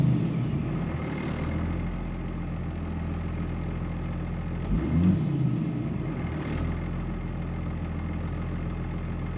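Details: 2005 Ram 2500 diesel after FASS lift pump and fuel line replacement: even, smooth idle with a couple of light throttle blips; no knocks or misses, oil pressure good, engine healthy.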